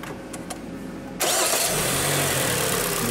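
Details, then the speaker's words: Kia Sportage 3 with the G4KD 2.0 petrol engine, which had a cold knock, after engine reassembly: cranks and catches at once, then settles into a steady, even, quiet idle with no knocking. "все тихо-спокойно человек этому будет быть доволен"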